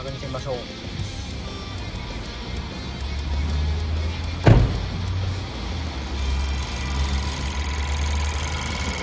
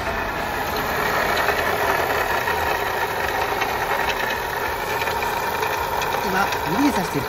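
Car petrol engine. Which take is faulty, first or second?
second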